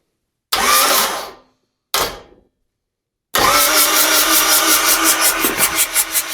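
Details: Freshly rebuilt Yanmar 4TNE98 diesel for a Caterpillar 216 skid steer, first test run: two short cranking bursts, then a long steady crank with an even pulsing beat that never catches; no fuel delivered, fuel shutoff closed by default.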